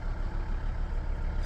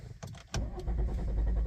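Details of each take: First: Volvo V60 D3 diesel with hard starting, often starting on second attempt and losing power under acceleration: steady, even low idle rumble with no knocks or misses, just a brief click near the end; idle sounds fine. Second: Volvo V60 D3 diesel, hard starting: long, even cranking without firing that fails on the first try and starts on the second; it also loses speed under acceleration while driving; cause unclear.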